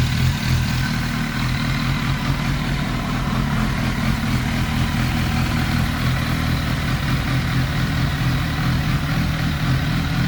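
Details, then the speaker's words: 1991 Kawasaki ZXR750 with twin Toyota Supra turbos, idling after tuning; less throttle needed; steady even pulse about four per second, no hunting; normal clean idle. "I'm very happy how the bike runs down low it probably hasn't ran that good in its whole life at idle"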